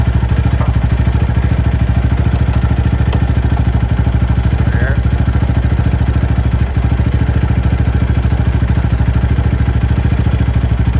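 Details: Venom X22R Max 250cc fuel-injected motorcycle, idle judged perfect with no adjustment needed at the throttle body screw. Even, steady putter with no misses, stumbles or speed hunting. Normal, healthy idle.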